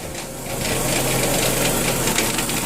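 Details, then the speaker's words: Cheaply bought Dodge Neon with stalling, engine running in drive with front wheel spinning: coarse rapid whirring rattle from underneath; torque converter done and staying locked up, transmission clutches worn, black fluid on dipstick. "down there there's a transmission that torque converter is done and that will explain why I have black on the dipstick"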